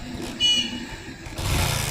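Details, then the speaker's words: Hero Splendor motorcycle that had no kick compression and puffing near the head: a broken spark plug was leaking air. After the plug was fixed and tightened, it catches and settles into an even putter with no leak, running normally. "Friends bike start हो चुकी है बढ़िया तरीके से problem यही थी इसका plug टूट गया था और यहां से एयर ले रही थी"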